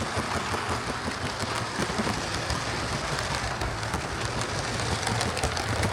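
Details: Hornby HST model power car running after service; one of the pair had its motor replaced and its bogie frames swapped. Even, steady motor and wheel rush with no knocks; both run okay now, normal running.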